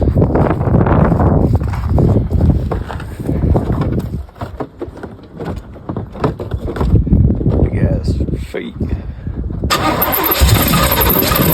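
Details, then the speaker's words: 1984 Corvette C4 V8, Holley 1460 carburetor rejetted from 66 to 44 jets, restarted on a cold day: deep burble, a little lumpy while still cold; healthy overall, needs retuning after the jet change. "That's more like it. Yeah, that's nice. Sounding pretty healthy."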